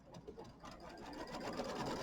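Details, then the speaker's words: Embroidery machine quilting Kimberbell mini quilt block: fast even stitching patter building smoothly in speed, no ticking; earlier clicking noise cured by changing the needle. "Okay, and I did change my needle, so my machine's not clicking now. It was making a little clicking noise, so I figur"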